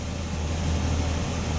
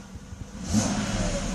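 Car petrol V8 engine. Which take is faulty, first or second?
first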